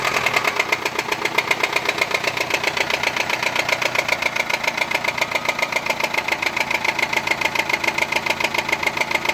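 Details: Nissan Sunny engine at idle: fast, fairly even metallic tapping about three and a half per second over the idle, believed internal; cause not confirmed.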